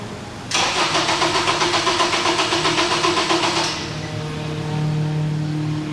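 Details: Acura TSX cranks steadily at about four beats a second for three seconds, never catches and settles to a hum, while crank/cam sensor signal is checked; crank no start after a clutch job, 5 V reference shared with MAP and manual trans output shaft sensor.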